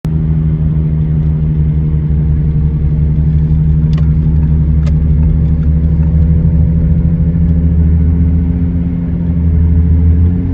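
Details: 2013 Audi A6 C7 while driving: a steady low droning hum under road noise from a bad front wheel bearing, fixed by replacing the front wheel bearings.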